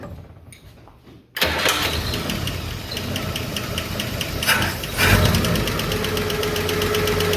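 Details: Chevrolet 235 Blue Flame sedan, started ticking after a 10–15 mile drive: it starts after a bad lifter was cleaned and rebuilt, then a light, sharp tick repeats at idle. A loose rocker still needs setting.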